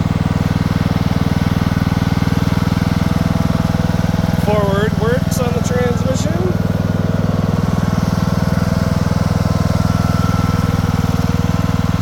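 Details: Craftsman II lawn tractor with a swapped-in newer engine and a bad key switch: single-cylinder putter at a steady, even beat of about four firings a second; running normally.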